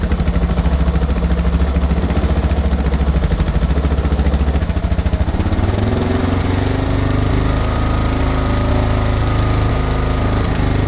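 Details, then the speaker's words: 2006 Suzuki DR650 with FMF header, slip-on exhaust, and drilled airbox and carb slide, during idle screw adjustment: a thumping single-cylinder idle that rises and falls between two speeds without throttle. Hunting idle. "Yeah, see, it's kind of bouncing between the 2 again, ain't it? Yeah. You know, it picks up again."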